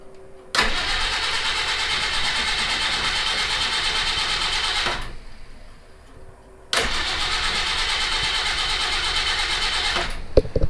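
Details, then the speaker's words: Citroen HY van, no-start, a relay rigged in: two long bursts of steady starter cranking with no catch; it turns over but never fires, fuel or spark suspected, not confirmed. "boy it doesn't sound like it even wants to start let me put a little go fast juice in there see if that's the issue"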